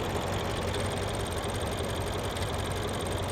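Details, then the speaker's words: 2011 BMW X6 M at idle: runs a little rough with an occasional miss and a fine light rattle over the engine hum. A loose timing chain is suspected, not confirmed. "And there's a miss. Every once in a while, you can hear a To me that almost sounds like a timing chain. Can you hear it kind of rattle?"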